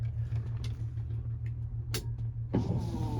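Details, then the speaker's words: 1986 Ford F350 6.9 IDI wipers on high with engine off: steady low motor hum with soft rhythmic sweep about every half second; wipers working, somewhat strained without the engine running. "the wipers are working do we have high oh my God we have high it's struggling cuz the truck's not running but we have wipers"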